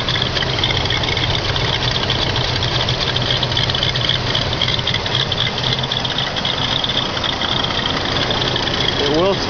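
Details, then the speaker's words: 1978 Mercury Marquis Brougham, 351 V8, about 85,000 supposedly original miles, cold on fast idle: an uneven, lumpy chug with a tractor-like knock that is not the belt, plus slight smoke. The idle smooths out once warm. "that's not the belt that's making that noise sounds like it's tractoring almost right here"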